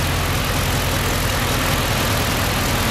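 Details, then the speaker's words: Holden SS Commodore 6.0 V8 just reassembled after a DOD lifter replacement with the heads refitted: steady, even idle with a smooth low beat and none of the earlier top-end clatter or ticking; normal idle after repair. "pretty quiet now. It was all clattery before, and she goes."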